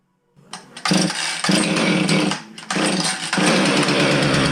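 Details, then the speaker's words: Husqvarna 450 chainsaw that starts but won't rev: catches and revs unevenly, surging and sagging with stumbling gaps, misfiring and bogging on throttle; spark tester erratic, ignition module suspected versus carb, unconfirmed. "we could certainly hear that it wasn't running right and it was missing and when we pulled the throttle it would just bog"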